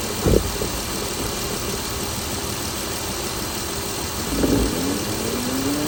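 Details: 2016 Chrysler Pentastar 3.6L V6, stated as about 2017 in a 2017 Dodge Ram 1500 regular cab, steady idle with a light ticking clatter throughout; owner reports a massive cranking noise at start; cause unconfirmed.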